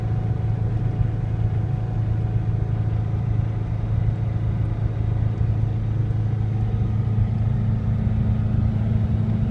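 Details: Subaru WRX at constant high revs around 3500 rpm: a recently started noise, a steady low engine drone with a faint steady tone above it and no clear knock or rattle.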